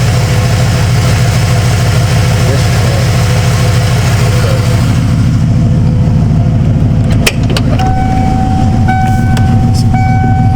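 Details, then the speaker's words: 1995 Ford F-150 barn find with 182,000 miles: a lumpy idle with a stumble about every third of a second and hesitation on light acceleration, with the engine shaking. That cylinder's plug was fouled, and pulling its wire changes nothing: a dead injector. "it's got that stumble right at light uh acceleration probably see the camera shaking so it's definitely got a injector bag"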